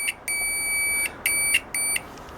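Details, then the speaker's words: Cheap multimeter continuity buzzer replaced with a louder microwave-oven buzzer: loud, piercing beeps around 2.3 kHz in bursts as probes make and break contact; normal, much louder operation. "Okay entonces vamos a a escuchar aquí la bocina de horno de microondas Ah pues ahí está miren más fuerte"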